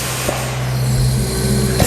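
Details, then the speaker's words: Backpacker Test Set, a 500 bar air-driven test pump, feeding a 420 bar hose during a low-pressure test around 1 bar as the isolating valve slowly opens: a steady low hum with soft stroke clicks, pump running normally. "and you hear that our pump is running and you see slowly the pressure building up and i've got full control"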